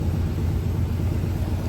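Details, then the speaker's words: Classic C10 truck after a roadside field repair of a failed 12V fuel pump at night: the engine runs with a steady, even low rumble and no misses. It holds fuel pressure with no fuel leak, a temporary fix. "It's running. Let me see. It's holding pressure. No fuel leak."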